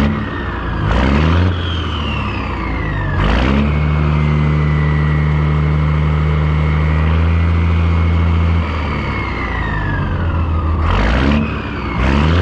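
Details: 1962 Peterbilt 351 with Caterpillar 1673 diesel after swapping to the correct Cat 1674 turbo and adding two stacks: deep even rumble, revs rise and fall cleanly under throttle blips, no knocks or misses.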